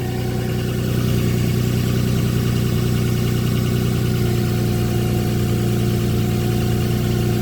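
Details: 2007 Nissan Pathfinder 4.0 V6 with 5-speed automatic, cold start with raised idle: faint constant whine over engine hum, louder when revving and heard near the transmission; fixed by a simple transmission fluid change.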